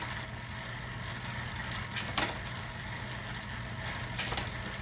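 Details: Bicycle rear derailleur after loosening the cable slightly: two crisp single shift clicks about two seconds apart over a background hum, no chatter or grinding; gears change cleanly.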